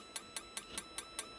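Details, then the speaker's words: RV propane water heater: the igniter buzzes with sharp, even ticks about five a second and the burner never lights, so it goes into lockout; igniter sparking with no ignition. "there's the orange wire i'm gonna click it you're gonna hear the buzz there you go and watch the see it's flashing"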